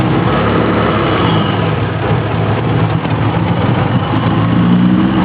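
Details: E30 idling: low, heavy idle that wavers and stumbles instead of holding an even beat; rough idle.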